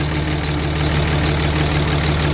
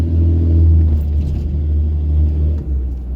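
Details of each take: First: Dodge Cummins diesel truck, after fixing a zero rail pressure fault: steady, even idle with low regular clatter, no misfire as before; rail pressure no longer jumping, fluctuating about 100 psi. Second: Cummins diesel pickup, after long running on low rail pressure, revved then dropped into neutral: idle swells and sags unevenly, free-revving itself up and bouncing down; owner suspects leaky or damaged injectors, not confirmed.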